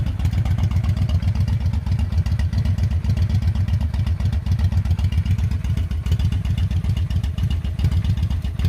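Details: 2005 Honda Shadow 750 V-twin just started after an oil change and engine flush: low, loping idle with even pulses about four per second, no tapping or rattle; sounds normal.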